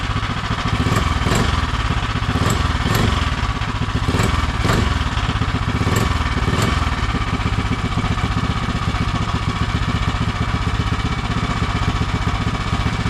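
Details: Predator 212 (Monster 212) single-cylinder in Mega Moto minibike with new thick-flange custom exhaust V2.0 and wrap, warming up: steady fast idle thump, even beat, muted exhaust bark, sounds really good; normal running.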